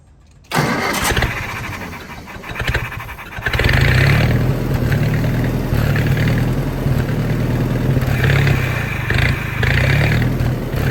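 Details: Old Army skid generator with Willys engine and aftermarket electric fuel pump: cranks, catches and runs rough and uneven only on a carburetor prime; owner suspects the carburetor is blocked, starving fuel.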